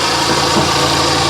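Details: Car at a salvage auction, heard under the hood at idle, engine wet at the back: a busy rattly whirring from an accessory at the front of the engine over a steady idle. The engine runs well; the accessory cause is unconfirmed.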